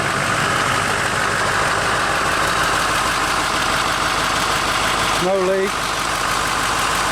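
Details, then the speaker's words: Duramax diesel engine with 79,000 miles, rebuilt with new rings, destined for an Allison transmission with a Muncie PTO: even diesel clatter at idle with no knocks, misses or surging. Runs really well, no issues. "done all the work on it. A lot to it. Running really well. No issues."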